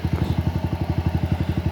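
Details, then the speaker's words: Motor Star 125 motorcycle test-run after tank, stator, carb and chain work and rewiring: a quick, even putting at about ten pulses a second with no knocks or rattles. The engine idles quietly and smoothly. "Yan, tahimik na rin po yung makina niya."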